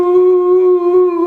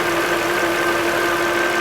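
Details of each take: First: 2008 Volvo XC70 3.2 liter: steady high tea-kettle whistle from under the hood holding its pitch over the engine. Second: 2008 Volvo XC70 3.2 liter after repair: steady, smooth idle with even hum and no crankcase whistle or hiss; tea-kettle whistle fixed.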